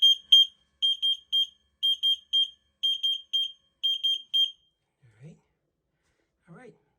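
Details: Zoeller Aquanaut 508 sump pump battery backup controller: shrill high-pitched beeps in clusters of two or three, repeating steadily.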